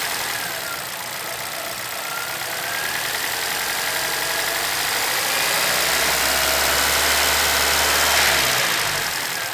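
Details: 2011 Chevrolet Celta VHCE Spirit engine at idle: crisp, regular ticking about four per second over a busy idle; knock of unknown origin inside the engine.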